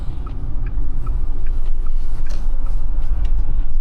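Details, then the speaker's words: Porsche Taycan Turbo driving on a cold day: a sharp tick about every 0.4 s over road rumble, following wheel speed; driver suspects wires sticking out of the tyre or a stuck stone, not confirmed. "Almost sounds like there's like a Probably the wires hanging out the tire, isn't it? Cuz I was saying it sounds like a stone stuck somewhere."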